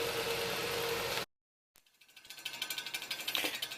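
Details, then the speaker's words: Mid-1950s Bersted "Zero" 1250R electric fan, running: clicks and rattles about four times a second because the blade's center cap is loose on the hub, like a rattling hubcap. "If any of your parents had like an Oldsmobile or some old-fashioned car that had a rattling hubcap, you'll know what that sound is. The center cap is kind of loose."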